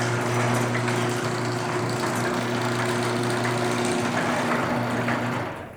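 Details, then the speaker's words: Garage door with opener after lubricating joints, bearings and springs: even motor hum with light metal rattle from the track, no screech or squeal during travel, then stops; screeching fixed, operates normally. "Sounds pretty good. So now the garage door went from sounding like my ex-wife to sounding like my mother, who's slightly more tolerable."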